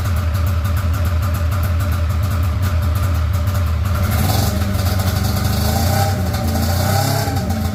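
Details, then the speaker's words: Polaris RMK 700 snowmobile on first test run after a build: a loud, ragged two-stroke drone with an uneven, stumbling beat that never smooths as it revs. Misfiring; it sounds like it's only firing on one cylinder. Cause unconfirmed. "does not sound happy at all SMY now interesting does not sound very happy [Music] though yeah sounds like it's only hitting on one cylinder"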